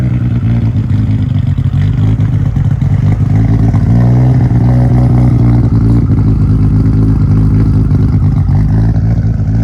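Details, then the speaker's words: Fully refreshed Nissan Skyline R34 GT-R V-spec twin-turbo engine with big intake system, revved after a cold start: deep, smooth rise and fall with clean pickup and audible turbo spool. No ticking, knocking or lumpiness, a normal healthy engine. "Engine, it's been fully refreshed. There's no weird sounds coming from it, no ticking, no heavy lump. When I revved it, you could hear the turbos fully, obviously with this big intake system they have here."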